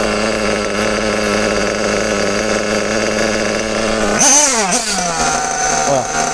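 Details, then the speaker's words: Kyosho RB One TT8 nitro buggy, RB engine: the high-speed needle is set too lean, so the steady high buzz breaks into a cutout with the pitch dipping, and idle stays very high on release. "Bon, maintenant un moteur qui serait trop fermé à la pointe, ça donne ça."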